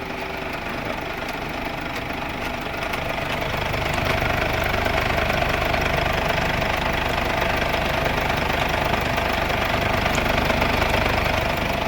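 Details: Mercedes W212 OM651 diesel idling to warm up and purge residual oil from the coolant after an oil-into-coolant leak repair: even light clatter at about three beats a second, no misses or odd knocks; healthy idle.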